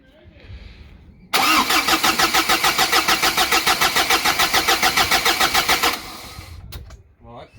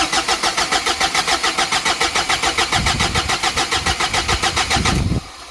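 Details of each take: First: Courier diesel with a newly fitted big turbo, first start attempt while priming the fuel system before bleeding the rail: even starter cranking at about three and a half beats a second for about five seconds, regular compression; normal cranking. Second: Big-turbo Ford Courier diesel ute, first start after rebuild with system primed: fast even cranking chuffs about 3.5 per second for five seconds, then catches to a low uneven idle that won't settle; fuel governor suspected, not confirmed.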